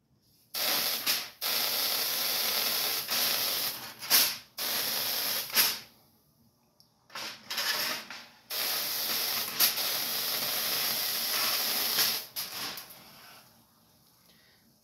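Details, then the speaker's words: Sealed ion lifter with top and bottom plates: harsh, bright hiss in on-off bursts of several seconds, no motor; corona discharge off the high-voltage plates, explaining low thrust. "that's the reason why the noise is a Corona discharge so that's why you hear that noise and why it's not producing a lot of thrust"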